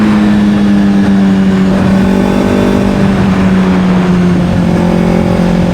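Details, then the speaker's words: Rebuilt wrecked Honda CBR600RR: steady low drone with lumpy uneven beat, sounding like two cylinders; one or more cylinders not firing, cause unknown, teardown planned; engine misfire. "Sounds like a two-cylinder. So, we have a cylinder or so that's not working. Not sure exactly what it is."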